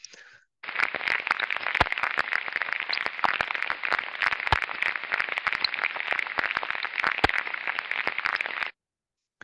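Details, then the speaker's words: Slow-turning bearing heard through ultrasonic inspection at very low speed, with dense, rough crackling and sharp random pops, unlike the smooth, even sound of a healthy bearing at the same speed. Worn low-speed bearing. "se aude un zgomot lin se aude un zgomot uniform nu prezintă niște particularități de uzură în timp ce același rulment sau la aceeași viteză foarte redusă are un cu totul și cu totul alt spectru de calitate"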